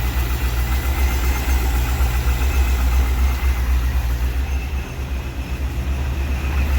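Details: 2001 C5 Corvette V8 idling just after replacing valve cover gaskets and grommets, with covers off to check for oil leaks and a little residual coming up: a steady, even low rumble with no knocks, misses or ticks. Normal idle.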